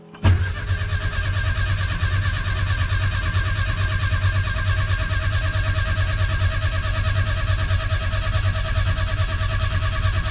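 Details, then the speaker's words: Classic Mini Clubman, in neutral, cranking steadily with no firing or catch; won't start because ignition timing is wrong, done while installing a new oil pressure gauge. "if i put my ignition on now i'm out of gear it's not going to start because the timing's wrong but hopefully this gauge should go"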